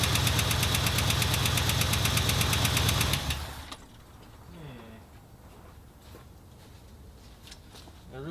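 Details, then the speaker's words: 1977 Ford F250 idling after distributor reinstall at TDC, timing around 10–15°. A loud, sharp tick repeats about three a second and is new since the work; a lifter is suspected, not confirmed. "That is a like lifter tick to the max, dude. Jiminy Christmas, that's loud."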